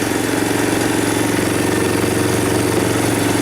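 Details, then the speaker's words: Baja 250cc ATV, long-stored, old stale fuel: single-cylinder fires on starting spray, fast uneven idle, then stops; running only on the shot, fuel delivery suspected. "Away she goes. Huh. Oh. Oh, that seemed to stop"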